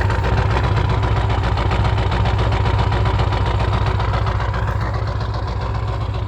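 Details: 1996 Ford 7.3 Powerstroke diesel, 292k, cold start at 18°F: uneven lumpy idle pulse about 220 per minute, smokes until warm, fine when warm. Owner suspects misfire or bad injectors; injector o-rings and cups replaced 1600 mi ago.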